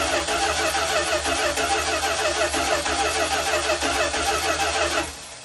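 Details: 1972 Dodge Tradesman camper van abandoned in a field ten years, hot-wired with new starter relay, voltage regulator, ballast resistor and battery: starter cranks steadily about three turns per second but engine never catches; no fuel reaching the see-through filter.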